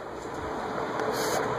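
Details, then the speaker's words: Vintage Venton/VEC cast-iron 48-inch industrial ceiling fan, possibly 1970s or earlier, on high speed: steady airy rush, faint motor hum, no bearing noise; whipping around, running normally. "That thing's whipping around, though. No noise on high. A little bit of motor noise, but no bearing noise."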